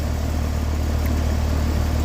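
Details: Heil AC outdoor unit after a tune-up at about 59–60°F outside, compressor drawing 5.73 A and outdoor fan 0.63 A. Even, steady low hum with no rattles, knocks or pitch swings: normal running.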